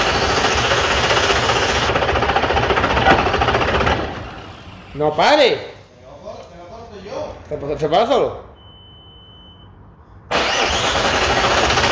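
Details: 1998 Audi A4 2.5 TDI (AFB) diesel after timing belt and water pump change: catches and runs a few seconds, cuts out by itself, tries to fire again and dies; electrically damaged injection pump.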